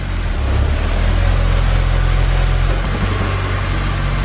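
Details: Honda S2000 after installing a Clutch Masters FX300 clutch and a Honda release bearing: an even, steady low idle with a smooth rumble and no knocks or rattles. Any noise right after starting is the starter hanging; the engine idles normally.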